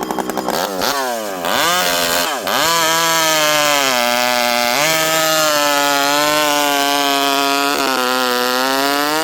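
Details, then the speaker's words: Rebuilt, ported vintage Stihl 064 chainsaw with new piston and clutch, 25-inch bar, cutting wood full throttle while leaned on; strong steady high scream holds pitch and clears cleanly between cuts, healthy. "Wow, this thing cuts. 25-inch steel, full house. I'm leaning on her pretty good there. This thing pulls hard and it's fast."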